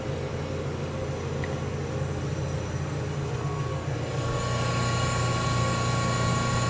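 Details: General Electric CJ-1-C16 antique flat-top mini fridge after repair and reassembly, charging in a 100-degree room: steady low compressor drone settling into a fuller tone, no knocking or rattling; compressor sounds nice while float chamber fills. Normal running.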